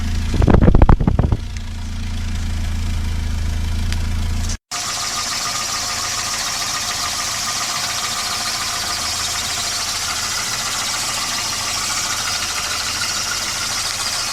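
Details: 1988 Volvo 240 GL: engine starts, then idles with an irregular light knock about four per second over the running note, most likely piston slap (unconfirmed); engine otherwise runs fine.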